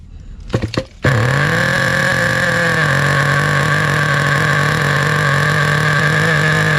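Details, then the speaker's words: 2008 Duratrax RTX-27 1/8-scale nitro monster truck, first start after repair, primed with the glow heater on: a few quick starter pulls, then a steady, soft, blubbery burble; running way too rich, so the mixture is leaned half a turn. "i'm going to just let it run a little too rich two inch it was definitely way too rich going to lean it out about half a turn here yeah it was definitely way way too rich"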